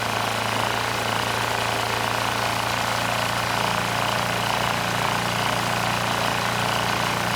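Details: Powermate SX Power Series 3250 W generator (PM0123250): steady drone with an uneven, loping beat that never settles; carburetor fault makes the engine run rough, though no knocking and it makes power.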